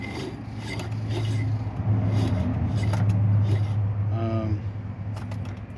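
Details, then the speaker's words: 1993 Ford Bronco smog (air) pump just removed and spun by hand: a coarse, gritty scraping rumble that catches and drags. The pump was getting hung up while installed; rough, binding rotation. "So, so far so good. Okay. It was a bit of a struggle, but I got the pump out. it. Uh, so it kind of broke free from where it was, but it doesn't sound good."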